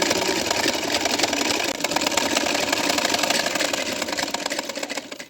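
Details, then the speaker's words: Old sewing machine that runs heavy and noisy before cleaning: busy, harsh, loose rattling clatter at about four beats a second from a dry mechanism clogged with dirt and lint, which cleaning is expected to remove. "जब हम cleaning कर लेंगे तो इसकी बास बिल्कुल खत्म हो जाएगी"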